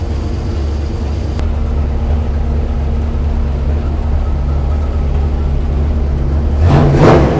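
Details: Numbers-matching 440 Magnum U-code V8 in a 1970 Dodge Charger R/T on the dyno, ported heads, exhaust manifolds, bored 30 over, forged pistons, original six-pack rods; deep, steady idle after RPM brought down, brief blip near end, no knocks or ticks: normal idle.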